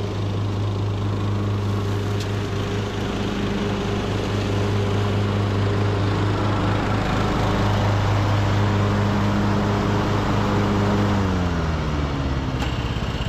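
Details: Craftsman LT2000 riding mower, almost 20 years old, with new carburetor and deck spindles, blades engaged while mulching: steady, even single-cylinder drone holding pitch under load before easing off; running healthy.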